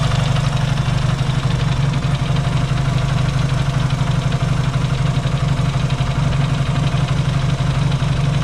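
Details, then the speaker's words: Yamaha XS650 twin, engine reinstalled after fixing its oil-burning problem, now pretty warm, points still to be properly adjusted: low steady thumping idle with even beat, no stumbles or knocks; no smoke, running smoothly and healthy. "it's pretty warm now and uh I like what I'm seeing"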